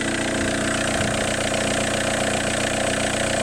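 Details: Seat Inca engine with many leaks, steady idle with a rough, gritty clatter from up top keeping time with the engine, worse heard at the intake; top-end noise, cause unclear.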